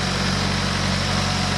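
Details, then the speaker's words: Subaru BRZ on a new short block after fuel lines corrected and timing confirmed right, no valve damage; short stretch of smooth, even idle with a steady low hum, no stumbles or knocks; runs healthy, antifreeze still to sort out. "all right she sounds smooth now we got to figure out some antifreeze"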